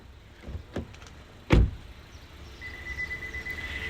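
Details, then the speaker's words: 2025 Honda Civic LX: after a door thump, a steady high-pitched warning tone sounds because the car is running with no key inside; it won't restart once turned off without the key. "That beeping sound means the car is running and there's no key in the car."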